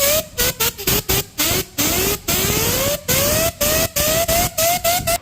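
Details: Hyundai H1 in for black smoke and injector repair: a whistle climbing in pitch over a hissing rush as revs rise. The turbo is not damaged; an exhaust leak at some point is the cause, which can't be found without disassembly.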